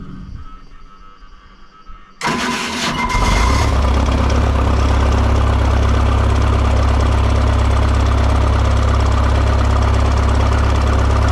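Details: Diesel excavator that wouldn't start after sitting for months, fuel system reprimed and a seized engine stop motor pulled free to the run position: cranks briefly, catches at once and settles into a steady, even idle.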